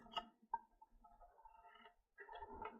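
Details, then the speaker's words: Worcester Bosch boiler fan that had been vibrating heavily, removed and shaken: loose, irregular plastic rattling as broken pieces of the hard plastic fan blades roll inside. "Yeah, look, there's other bits of the fan. It's broken inside. That is crazy. I've never seen that before. No wonder this was uh vibrating its head off."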